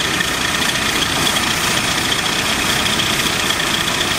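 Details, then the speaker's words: AMC Eagle after nutter bypass, vacuum advance moved to manifold vacuum, choke possibly installed backwards: constant airy hiss over a steady idle, owner suspects a vacuum leak near the rear/carb; covering the carb doesn't change it, source unconfirmed. "you can hear that little hissing sound that definitely sounds like a vacuum leak i couldn't really hear it before"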